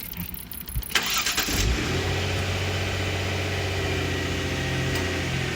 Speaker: Maybe try a battery, but as you can hear, that battery's full of life. Never even managed to drain it down to the point it won't start. Even when it was saying replace, it was still starting.